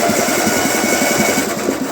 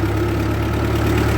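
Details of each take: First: 1948 Ford 8N tractor engine, cranked with the head on while stuck intake valves are freed with spray: a fast mechanical clatter at about 3.5 beats a second that winds down; cylinders 1 and 2 are freed, 3 is starting to return, and 4 is still stuck. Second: 1948 Ford 8N tractor pulling uphill in third gear, below full speed, oil pressure reasonable: a steady, even low thrum under load with no knocks or misses; the engine runs healthy with lots of power.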